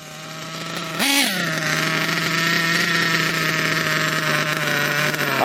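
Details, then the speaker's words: Kyosho KE25 Big Block nitro engine, wide-open pass: quick blip then steady high wail lacking crisp top end; still too rich, needle to be turned in about 2 hours. "so I've made another pass, still too rich."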